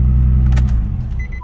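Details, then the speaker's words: 2008 Nissan 350Z, two to three weeks after the fix: deep, steady, even rumble with no misses, ticks or rattles; it has been running and driving great. "it's been about maybe two to three weeks since I fixed this 350Z and it has been running and driving great"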